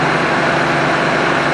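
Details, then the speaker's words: 1965 Plymouth Savoy slant-six automatic, revived after sitting 19 years, warming up at idle and heard from the rear: a steady, even hum with no shake or stumble; it now idles smoothly. "Listen to it back here. This thing is just singing."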